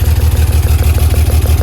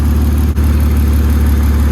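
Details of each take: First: BMW E36 whose ECU has repeatedly fried, idling with fuel smell and smoke: deep idle with a steady, regular stumble about six times a second. Cylinder 5 is misfiring; rear injectors were found unplugged. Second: BMW E36 inline-six after misfire diagnosis, temporary fix: steady, even low hum idle, no stumbles; needs new engine harness and spark plugs.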